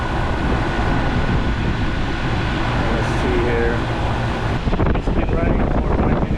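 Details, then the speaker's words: 2.5-ton split-system AC condenser with replaced fan motor; steady, even whoosh under some wind with no wobble or scrape; fan running smoothly after the old motor had grown noisy and slow. "and the fan is running smoothly and pretty steady."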